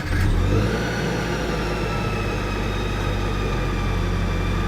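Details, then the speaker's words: Subaru BRZ with a Kraftwerks supercharger kit, idling. A loud, constant high whine from the toothed supercharger belt that does not get louder with RPM; the idle is steady. Normal for this kit. "So, you can hear it is it is quite loud. You definitely can tell that there's something different about the car there. Um, it doesn't get louder with RPM though."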